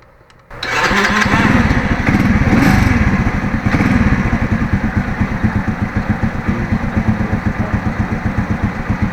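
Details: Starter motor that had sounded like stones grinding inside the engine, in a Bendix drive replacement job. Here the starter engages cleanly and the engine catches and settles into an even idle with no grinding.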